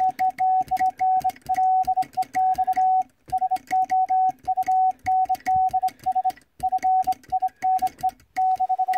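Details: Vibroplex bug Morse key after adjustment on a stable mat, arm set to contact point; clean mid-pitched tone keyed in crisp evenly spaced dots and dashes with steady rhythm, keying properly.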